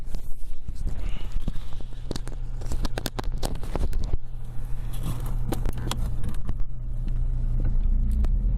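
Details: Lada Priora knocks over small bumps; the owner suspects the steering rack, which was never adjusted and would not tighten. Sharp irregular knocks ring out over low road rumble on each small bump, typical of worn, dry steering rack bushings.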